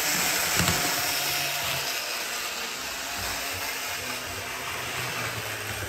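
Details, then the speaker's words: Older Bachmann GP40 model locomotive running laps on a loop: loud, busy whir with steady high-pitched hiss; motor much noisier than it should be, though it runs well. "that's not as quiet as it should be especially with all that Loop"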